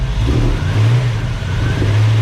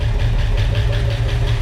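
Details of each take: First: 1965 Ford Mustang with new Speedmaster heads, first startup, running under 10 minutes: smooth full engine note with light revs, lifter ticking gone after lifters quieted; normal running. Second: 1965 Ford Mustang V8, first start with used lifters: rough idle with a light, fast ticking over the rumble, all lifters noisy, engine also sounding like it is missing; lifter tick.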